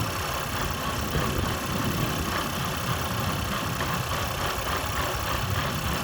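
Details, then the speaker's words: 2024 Renault Espace E-Tech full hybrid 200, 1.2 three-cylinder 130 hp petrol engine, heard in cabin: loud lumpy drone with uneven low thumping when the engine kicks in; rough running. "poważnie raz na jakiś czas silnik odpala się i wchodzi w taki oto brzydki rytm"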